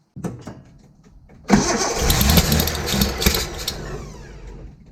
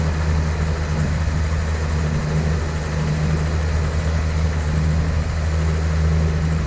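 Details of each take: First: 1972 Datsun 240Z with SU carbs, sitting since 1995, fuel system primed, new fuel pump, starter, plugs, wires, cap and rotor: slow, uneven cranking, then a ragged burst of firing that dies within seconds; carbs due for rebuild. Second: 1972 Datsun 240Z, sitting since 1995 and being revived, with SU carbs and a primed fuel system; it previously ran poorly. Steady, low, even idle with a smooth firing beat and no knocks or misses; it is running cleanly.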